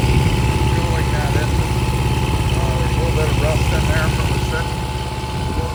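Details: Restored long-stored 6.5 kW gas Kohler marine genset from a houseboat, bench run with bucket water pickup at about 30°F; steady even idle thump, no knocks, misfires or squeals, healthy.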